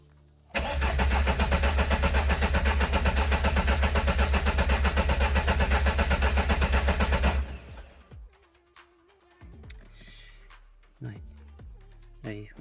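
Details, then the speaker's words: Engine first start attempt after six years standing, coolant circuit just bled, injection pump not yet connected: even starter cranking at about four compression pulses a second for seven seconds with no firing; turns freely, low oil pressure light goes out while cranking. "mais écoutez pour moi ça a l'air bon parce que quand le moteur tourne le voyant s'éteint donc pour moi la pression basse n'est pas allumée quand le moteur tourne ça veut dire que la pression est bonne"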